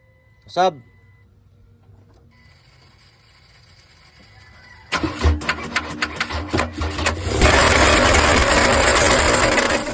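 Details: Ford Ranger 3.2 on starting: brief whir, then rough ragged grinding through the cranking bursts before it catches; flexplate problem.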